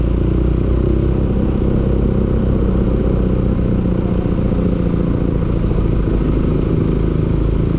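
Steady low engine drone with a rough clattering knock running through it at a constant speed; something is knocking inside, cause unclear.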